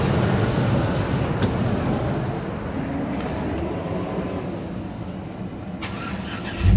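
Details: GMC Envoy Denali that died after running and wouldn't restart, fixed by replacing the fuse box: engine cranks, catches and settles into a steady, even low idle with no stumbling; starting fault cured.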